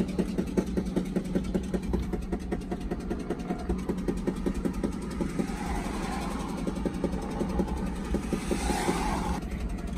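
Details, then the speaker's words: Ford Excursion 6.8L V10 gasoline with a blown-out spark plug, driving home on a full tank: loud rapid chuffing puffs over the engine drone keep pace with speed and can be heard from far away. "That construction worker was giving me looks, and I'm not surprised, because this truck, you can hear it from a far, far distance away."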